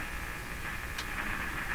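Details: Philips PH202 vacuum tube console AM radio, unplayed for a long time, tuned near 860 (French station): steady hiss and hum with only a faint trace of a station; reception very poor at the higher bands.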